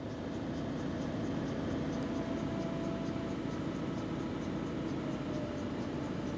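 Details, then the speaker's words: Peugeot 207CC diesel convertible roof folding down with the button pressed and held, just after the car fired straight up. Steady, even pump hum and smooth whirr with no straining, clunking or grinding, so normal roof operation. "I think you've got to press and hold this one it's making all the right noises"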